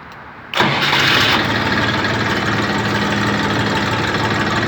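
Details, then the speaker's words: Chinese Saturn ST2501 diesel mini tractor: a brief crank, then it catches instantly and settles into an even, steady idle. A clean, easy start with very smooth gear engagement; normal diesel engine start. "запускается двигатель очень легко пускается очень мягкая коробочка очень мягкое включение Замечательно работает двигатель очень Ровно"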